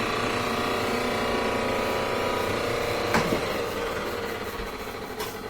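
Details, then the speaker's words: Frigidaire dryer, roughly 15 years old, that hummed or started briefly then shut off, after cleaning the dirty motor switch: motor spins up to a steady, even drone and restarts repeatedly without humming or stalling; problem cured. "so now we start motor fires right up that hasn't shed and then I'm gonna open the door to break the circuit and I'll try it a few times and that does start over and over and over"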